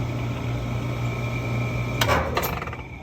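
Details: 4-ton Rheem R410A central AC condenser, ~4 lb overcharged ~6 years (suspected after dirty filter), after recovery to 8° subcooling and acid-washed coils; steady compressor hum cuts off at disconnect pull, then clanks and rattle; loud shutdown noise persists.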